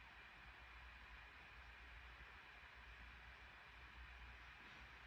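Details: 2021 MacBook Pro 14" M1 Max 32-core GPU, plugged in, GPU at 100% load in a game drawing about 55–60 W, fans around 4700–5000 rpm at about 92 degrees: steady even airy whoosh, no ticking or grinding, normal fan noise.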